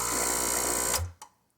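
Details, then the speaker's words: Breville espresso machine opened up, its pump or motor heard directly: a harsh rattly buzz for about a second, then it stops, moving no water. Owner suspects a clog somewhere in the lines and plans to check the intake tube. "so there is some sort of a clog in here or inside some somewhere here that's that's preventing the water flow"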